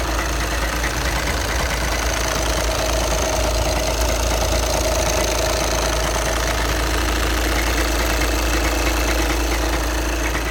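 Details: 2011 VW Passat B7 2.0 TDI (CFFB, 140 PS) with automatic gearbox, 277,000 km, at idle: a loose, uneven rattle under the diesel clatter, heard as gearbox noise; the dual-mass flywheel is suspected, as is common on these Passats.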